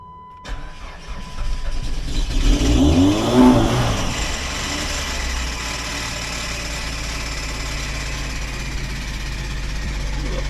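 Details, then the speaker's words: Cold start of one of several cars, with battery light on: engine catches and flares, then a faint chirping squeal over the uneven cold idle; owner suspects a squeaky slipping belt, unconfirmed. "squeaky belt yeah the battery light just came on so I have to throw that on the [Music] Tinder let it run for a little bit see if it does anything but that's probably just a belt"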